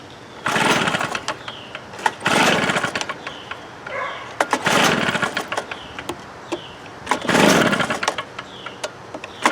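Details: Stihl BR320 leaf blower bought 1998 (about 24 years of use), choked start, no primer bulb: revs climb lazily at full throttle and gradually sag while held open. Loses power at full throttle; a clogged carburetor was found and cleaned.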